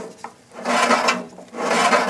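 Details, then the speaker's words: 1969 VW Beetle engine turned slowly by hand; a slow scraping rasp swells with each turn as the squirrel-cage cooling blower beside the generator rubs the back of its shroud, which caused the high whine heard on a test drive. "That's the squirrel cage blower on the other side of the generator here, rubbing against the backside of the shroud."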